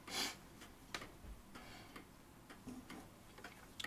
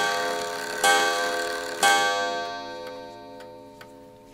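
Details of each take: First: Vintage Ansonia steel kitchen clock before service, barrel pendulum running: ticks roughly twice a second with uneven tick-tock gaps; pendulum clock slightly out of beat. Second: Ansonia steel kitchen clock, checked before servicing with the movement slightly out of beat: clear bell strokes about a second apart ring over a steady tick. The strike train strikes properly, so its parts are probably correct.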